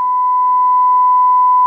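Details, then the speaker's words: Sanyo DCX 3300KB 4-channel amplifier before repair, first channel (front right): steady, pure 1 kHz tone with no buzz, hiss or gritty edge. Waveform looks clean on the oscilloscope. "Let's start once again with the first channel, which is the front, right? This one looks really clean."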